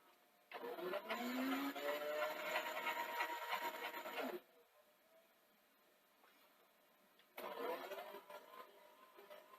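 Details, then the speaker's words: Sony SL-C30E Betamax VCR (European 240V), still running at full speed after the leaked 220µF 16V capacitor was replaced: motor whirs up to a steady high-pitched hum. Play and record both run too fast; the cause is not confirmed. "in queue it does speed up and it does do the pause in between modes so that side of it is working um reverse works it's just literally playing too fast"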